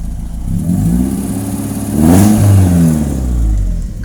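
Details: 1991 BMW 318i E36 M40 manual, 177,000 km, HKS racing exhaust, heard from behind: deep exhaust note climbs smoothly through two quick revs and drops back cleanly, without misfire or rattle; engine is healthy.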